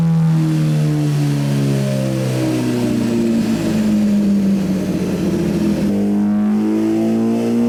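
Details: 2017 Suzuki GSX-R1000 sportbike, ride-by-wire, after ECU flash adding 4.4 degrees ignition timing; test ride under varying load listening for knock, also checked with stethoscope. Clean rising and falling note pulling under load, no pinging or rattle; normal running, no detonation.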